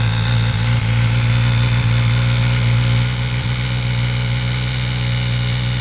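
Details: Suzuki GSX-S1000 on cold start: steady deep idle hum with a light metallic rattle on top; source unclear.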